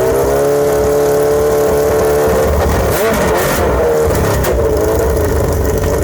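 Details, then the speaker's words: Suzuki Bandit/GS1100E with new Mikuni RS36 carburetors and open straight header, first startup: revs rise and stumble unevenly between blips, not clean on throttle; air-fuel mixture off, carbs need tuning. "That sounded great, though. You can tell that air fuel makes us off."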